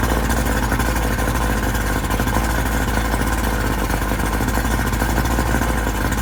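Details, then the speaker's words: Outboard motor that began ringing, dinging and kicking left and right when opened up to get underway. Steady running with a harsh, rattling metallic clatter over the engine note. Knocking and ringing, cause unknown. "g it up to to get underway my motor started ringing dinging kicking left and right and I don't know what the hell the problem is"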